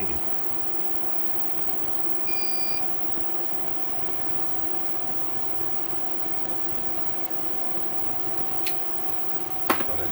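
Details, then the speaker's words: 3000 W inverter tested on a 400 W HID light and cookers: steady fan hum with one short high-pitched beep as the load hits about 3100 W, an overload warning while it still carries the load. "like it's beeping it's over the limit but it's handling it it's 3100 watts which is good"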